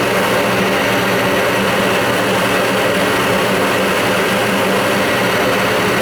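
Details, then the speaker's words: Old Goodman gas furnace inducer fan motor, freed up after Kroil oil was applied to its seized non-oiling bearings: steady, even whir with a constant air rush and no grinding or squeal. Runs normally. "wow yeah so we got the oil in there we got it to work i mean it freed up right yeah you could see how it goes"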